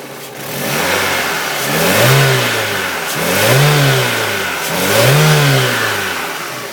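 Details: Peugeot 206 GTi 2.0 petrol: three quick rev blips with a rough, uneven note, a misfire. It was fixed with a new coil pack and a new set of spark plugs.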